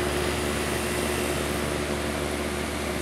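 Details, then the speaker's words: Home AC outdoor unit after replacing run capacitor; fan previously hummed and needed a push: steady even hum with smooth fan whoosh, compressor apparently kicking on; normal running. "It sounded like the compressor kicked on, but I'm not 100% sure what it was sounding like. But my fan definitely is working a lot better."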